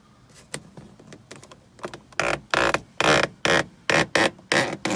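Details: 1992 Mercedes W124 300E sun visor: short uneven squeaks growing louder each time the visor swings up or down, from a dry pivot shaft; relubing previously fixed it only for days.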